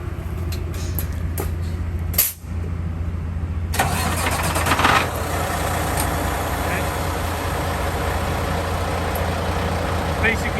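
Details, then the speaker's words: 2022 Peterbilt diesel truck remote-started via newly installed Excalibur alarm with diesel delay programmed to warm the glow plug first: wait, crank, then catches and settles into steady, even low idle with no misses; normal start and idle. "I did program the diesel delay, that way it turns on the ignition, warms up the glove plug, and then the truck will start. You can hear it whining now."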